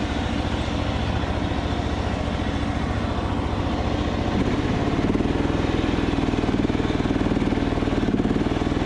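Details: Craftsman DYT4000 riding mower with a Briggs & Stratton engine, after a new fuel pump and valve adjustment, burning off oil while driving: steady single-cylinder thump with a slightly lumpy, hunting beat; still needs carb adjustment, uneven running.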